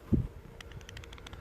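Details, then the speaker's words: Used bearing from a 7.3 truck repair, spun by hand: faint loose uneven clicking rattle with noticeable play, judged a worn, bad bearing. "You hear all the looseness in this here? Woo! That's definitely a war bearing. And listen to this. I hope you guys can hear that. That is the sound of a bad bearing."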